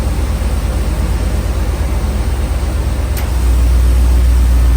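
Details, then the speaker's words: Chevy OBS pickup with TBI after installing a K&N cold air intake and reconnecting the battery; it starts and settles into a steady, even, deeper idle with no knocks, intake air noise audible. "he I can say right now I feel a way better acceleration it feel like it got a little bit more [Applause] power that's how she's looking right now she sound good look good"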